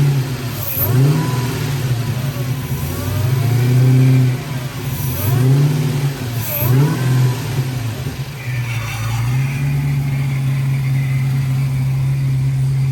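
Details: Freshly built 6.2 LSA V8 just installed, first start before radiator and coolant were fitted: catches quickly, takes a few strong revs and settles to an even, steady idle; healthy engine running smoothly.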